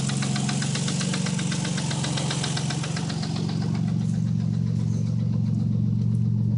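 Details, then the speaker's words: 1990 Nissan 300ZX idling around 700–900 rpm: fast, even, extremely loud ticking about four per second over steady idle, owner judges it a really bad lifter tick, definitely not rod knock. "it's definitely not rod knock it's just a really really really bad lifter tick but it's Extremely Loud"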